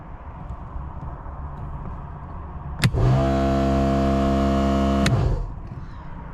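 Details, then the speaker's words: ARB compressor (thumper max) on a Nissan Patrol 12V build, running unloaded: sharp start, then steady droning howl with quick even pulsing for about two seconds before stopping; up to 40 amps under load; normal. "Not under load, so it can draw up to 40 amps under load."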